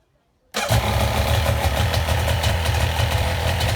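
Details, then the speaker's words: Two-stroke jet ski started after checking plugs, wobbling wires and adding new fuel; fires at half a second and holds a steady busy buzzing idle without stumbling; later runs perfectly in water: normal running. "Put in the water and it runs and does everything it needs to do perfectly."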